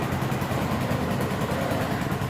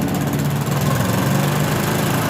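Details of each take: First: 2011 Yamaha Jupiter MX carbureted single, ignition faulted for lacking power under load and uphill: after ignition checks, even smooth idle putter with no misses, knocks or surging; normal idle. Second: 2011 Yamaha Jupiter MX, carbureted, losing power when riding and climbing: engine revs then falls into a ragged uneven beat that won't pull; weak stator-to-CDI supply starving ignition, causing misfire.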